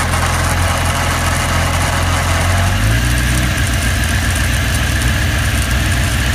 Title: Weird noise